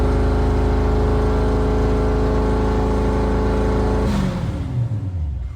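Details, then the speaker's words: C5 Corvette LS V8 engine build, cold start, no radiator or cooling yet fitted; loud, steady idle with an even, lumpy beat, then shut off and winding down; oil pressure 40, which owner thinks is low cold; runs smoothly. "It's sitting at 40, which is low for Cold Star, right? It runs. She runs."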